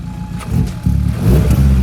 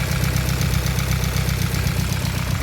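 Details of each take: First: Hyundai Elantra, stock engine with a big turbo, after replacing a broken exhaust V-band clamp, checking for exhaust leaks: clean, deep, even note as it idles and revs, no puffing or ticking; no leak, fuel pressure 70. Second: Hyundai Elantra stock engine with big turbo, first week on road: idle with a quick, even tick over the low rumble, about four per second; owner suspects cams running dry of oil and plans to open top cover.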